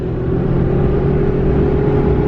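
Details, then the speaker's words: Bone-stock 2017 Ram 2500 Cummins diesel, 68RFE transmission, 3.42 gears, towing toy hauler uphill: steady high whine over diesel drone, pitch unchanging; owner unsure, suspects loud fan kicking on; cause unconfirmed. "I don't know if something happened or what, but she's like, something's whining in there like crazy."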